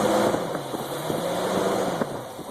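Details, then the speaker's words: 1977 Lincoln Continental at first start, running on old oil, fuel fed from a gas can bypassing the leaking tank: revs pick up quickly and evenly, no misses or knocks; very responsive. "there you have it very responsive"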